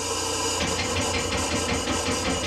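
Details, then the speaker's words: 1989 Crown Super Coach school bus with a Detroit Diesel two-stroke 71 series, batteries charging: slow, laboured cranking about four beats a second, weaker than healthy but improving. Weak batteries. "It's getting better. So, the challenge is definitely working. Um, it it's not as it's not as weak as it was earlier."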